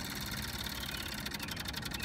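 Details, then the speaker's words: MEP003A military diesel generator, 900 hours, hard-starting: fast light electric ticking under a quiet hiss as the fuel pump primes, slowing as pressure builds; normal priming. "you can hear it slowing down as it builds pressure"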